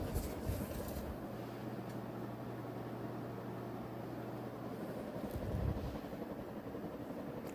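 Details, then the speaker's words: Metal three-bladed ceiling fan on high, running forward after a disconnected wire at the top box was reconnected: steady low hum under an even helicopter-like whoosh, no wobble or knock; runs normally. "sounds like a helicopter. It's because of the it's a three-bladed fan, but it's also metal, too."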